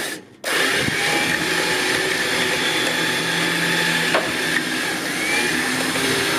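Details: Harbor Freight Badland 9000 lb winch, a replacement unit after the first one was defective and would not pull, mounted on a trailer: steady electric whir with an even gear whine that holds pitch under load and pulls smoothly; the winch is working normally.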